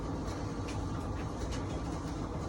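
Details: Whirlpool dryer, model YWED9620HCO, after replacing the belt, drum rollers and idler pulley to cure a squeal: even rumbling hum from the tumbling drum with no squeal or screech; runs healthy.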